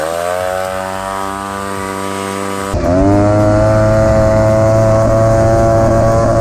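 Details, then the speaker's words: 1979 Honda Odyssey FL250 two-stroke after full rebuild with newly machined cylinder and DG expansion pipe: crisp, even buzz pulling up sharply in pitch as throttle opens, clean and strong through the pipe; healthy running. "Sounds sick. Dang, guys. That DG pipe sounds good."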